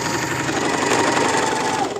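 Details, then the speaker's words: Singer sewing machine (8280/2263) run at full pedal while the speed stays slow: fast, even whirring clatter with a strained tone. A belt loosened by years of use makes the motor overheat; a mechanic should change it. Loose drive belt. "अगर आप चला भी full speed के साथ रहे हैं और आपकी मशीन जो कि है वो ज़्यादा तेज़ी से चल नहीं रही, इसका मतलब है आपकी मशीन का बेल्ट वो लूज़ हो चुका है।"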